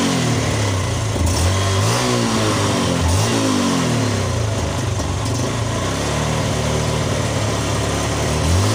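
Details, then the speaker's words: Yamaha Jupiter Z1 single-cylinder with regulator (kiprok) disconnected but charged battery fitted: even low thrum with rev swells that pick up and settle smoothly, no stumbling or ticking; runs normally on battery. "untuk regulator kita tidak fungsikan tapi motor ini hidup Kenapa bisa hidup Karena akinya masih berfungsi akinya masih ada isinya ya"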